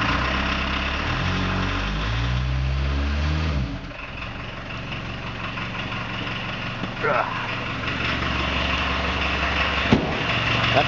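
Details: Diesel VW Vanagon cold start; the owner notes the glow plug relay stays on too long: short crank, then steady even diesel clatter at idle with no misses; normal cold start.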